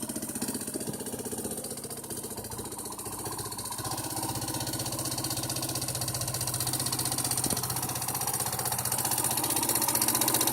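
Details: Yamaha Serow 225 (XT225) swapped to a 1KH/1RF-type engine using a 3RW1 CDI: single-cylinder idle with steady mechanical ticking about four per second, keeping time as revs slowly rise; abnormal engine noise of unknown cause.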